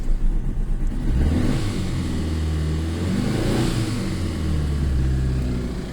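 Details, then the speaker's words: Chevrolet engine that previously seized from hydrolock, push-started in gear after failing to start: blips up, then a lumpy, uneven idle with a wavering drone, blowing air into the coolant; owner suspects a blown head gasket again. "and it makes it sound and it's blowing air in the water"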